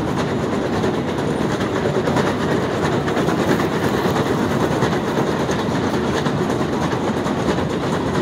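Continuous uneven clacking and rattling at about one to two knocks a second as the escalator runs; a noisy escalator, cause not pinned down.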